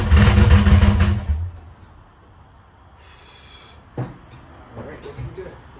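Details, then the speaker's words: Crank test of an 850 hp engine reassembled after head stud damage from 50 psi boost and over-torqued studs. A short, hard burst of cranking with even firing pulses, about four a second, then it shuts off; no odd knocks, so cranking is normal. "I'm just going to start it up now just to kind of check everything see if there's any weird noises um that way if I have to rip it back apart I can we're going to do a crank test"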